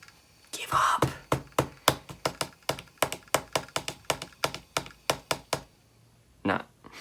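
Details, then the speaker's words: iBook clamshell laptop: about seventeen sharp, evenly spaced clicks, a few per second, then silence as the drive shuts off; dead hard drive or missing operating system, head retrying then giving up. "if you have a Mac and it's doing this it means it's got a dead hard drive or it doesn't have an operating system either"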